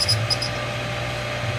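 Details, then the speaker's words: New 1.5 HP sprinkler pump: short high chirps ride over a steady motor hum, irregular squeaks that started after about 5 minutes of running. Source unknown, owner thinks it sounds kind of like a bearing. "No idea what that sound is. It sounds kind of like a bearing, kind of."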